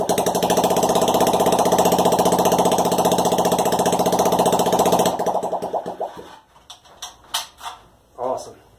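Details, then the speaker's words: Honda Ruckus project-bike engine first fire-up, no exhaust fitted, no throttle cable so throttled by hand: loud, sharp open-pipe popping at a steady fast beat for five seconds, then cutting out; engine runs fine unmuffled. "now there's no new exhaust on there so I'm not gonna run it very long so let's give it another go"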